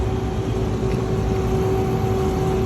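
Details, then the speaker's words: Rooftop AC package unit during maintenance, panel on: steady thin whine from the indoor fan motor over the blower rumble; belt rubbing the motor pulley suspected, not confirmed. "but if you listen closely you can kind of hear the uh the indoor fan motor it's almost whining if that makes sense"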